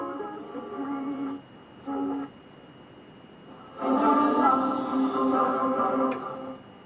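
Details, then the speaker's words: RETRA 333 AM/FM valve radio after repair, tuned on medium wave then long wave: music and voices clear with no crackles or pops; clean reception, confirming the replaced valve was the fault. "as you can see absolutely no crackles at all just to show it's definitely the valve that was at fault"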